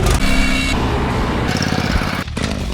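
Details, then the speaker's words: Troy-Bilt Vortex 2890 snowblower that sat without stabil in the fuel: small engine hunts up and down at low idle with the choke off, speed swelling and sagging unevenly; idle surging from a varnished, clogged low idle jet. "This is the culprit right here that's causing the surging."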